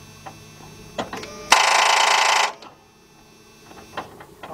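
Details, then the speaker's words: 2000 Dodge Ram Van 1500 3.9, no start; a few sharp clicks and a short harsh buzz but no crank, voltage drop at starter to about 7 V; bad ground, ground wire to be replaced. "all about seven so what that told us is a year we got a bad ground so what we're gonna do now is definitely change this ground wire"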